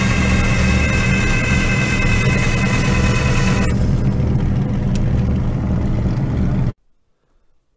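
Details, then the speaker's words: IH UD-16 diesel power unit on a 1945 Chevy truck for an Adams grader, fuel pressure and fuel at injectors confirmed: steady sluggish churning about four compressions a second, no firing or white smoke; owner suspects cranking too slow and dry cylinders/injectors. "I know I got fuel at the injectors but I had no white smoke or anything coming out of here cuz I think we're cranking over too slow plus everything is dry"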